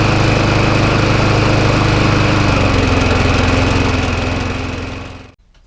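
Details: Job-lot McCall Star lawnmower revived with spare parts and new spark plug: even, steady single-cylinder drone with clean regular beat, then smooth shutdown; healthy.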